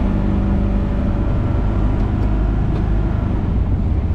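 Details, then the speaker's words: 1955 Ford Thunderbird on test drive: loud, even drone held at raised revs with no throttle; idling far too high until shifted, alongside a faulty temperature gauge and another noise. "she doesn't feel right see I like it's just idling up way too high"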